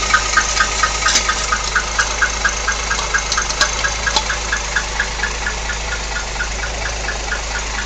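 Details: 1964 Rambler engine at idle: sharp light tick about twice a second over steady idle; odd noise, cause not determined.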